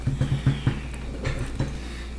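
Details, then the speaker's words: Audi A4 1.8T AEB engine during cylinder head reassembly, cam turned slowly by hand; irregular dull clunks as the cam chain tensioner jumps up then slams down; timing marks still line up after a full revolution, so the chain is apparently not skipping. "now when I turn this you see it jump [Music] you'll see the tensioner go up and then it'll slam"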